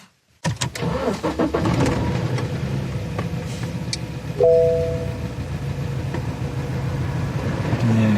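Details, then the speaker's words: Engine misfire after sudden power loss with jumping revs; after new spark plugs it still cranks into a lumpy, uneven idle with irregular stumbles, so the ignition coil is apparently dead and an identical replacement has been bought. "а все-таки видать катушка сдохла купил я свечку и такие нжк разрывными и купил катушку точно такая же как у меня была"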